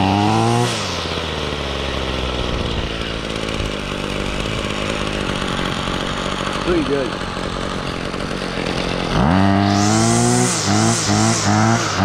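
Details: 2016 Ryobi RY251PH 25cc two-stroke powerhead with trimmer attachment after a cold start: settles into a steady, even buzz and picks up cleanly on each throttle blip; running fine.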